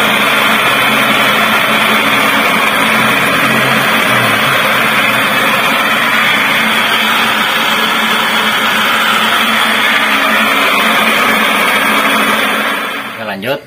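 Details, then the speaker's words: Old Toyota Avanza driving at about 20 km/h; loud, steady rough roar with coarse growl. Worn propeller shaft center bearing rumble. "kecepatan rendah seperti ini suaranya sudah mengerikan Ya seperti ini"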